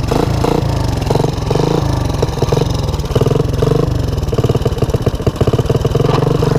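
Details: 1984 Honda ATC 200ES revived from low compression (oil in cylinder, new Keihin PZ27 carb, tighter plug gap), semi-warm, on choke, third gear low range: steady even firing under load, no knocks; runs healthy.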